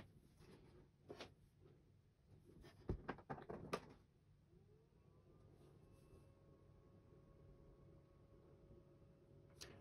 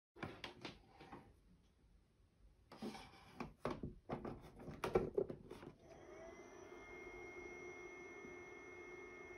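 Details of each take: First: HP ProCurve 1800-24G J9028A switch after swapping its loud stock fan for a Noctua NF-A4x20: handling clicks, then a small fan spins up to a soft steady whir, audible but far quieter than the original. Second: HP ProCurve 1800-24G J9028A switch, original 40 mm ball-bearing fan (TA150DC) measured by phone at a set distance: after handling knocks, steady thin whine with piercing high tones, not loud but annoying, before swapping to a Noctua NF-A4x20.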